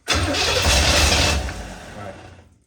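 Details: 1984 Corvette 350 V8, Crossfire injection swapped for an Edelbrock carburetor and intake, first start attempt before the fuel pump was hooked up: catches with a rough burst about a second, then sags and dies within two seconds, fuel-starved-like; cause unconfirmed.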